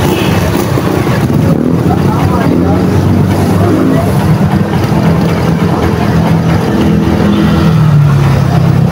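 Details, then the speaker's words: Barako 175 single-cylinder running with no battery fitted, its CDI needing a constant 12 V battery: the idle swells and sags in a slow breathing surge instead of holding steady; owner says fitting a battery steadies it. "kung maririnig natin mga Fr yung ganyang andar ay parang humihinga"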